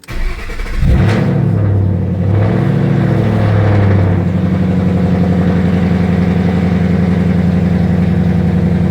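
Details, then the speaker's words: 2012 Mustang GT V8, during an overhaul with oxygen sensor codes present and before replacing the O2 sensors, fires, flares, then settles to a deep, lumpy, uneven idle; rough idle, cause not confirmed. "So I'm going to clear it one more time, start it, see if that's idling, it's still bad."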